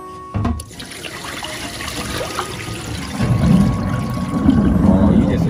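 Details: Kitchen sink drain after cleaning out a heavy clog in the pipe thought to be from cooking oil, which had caused odd noises for a month: water pours steadily and runs away smoothly, no gurgling or choking; normal drain flow.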